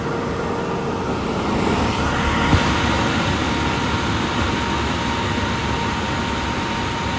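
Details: 2000 Jeep Cherokee Classic 4x4 XJ, warmed up, hood open: steady, even idle with no knocks, ticks or squeals over the low rumble; normal warm idle.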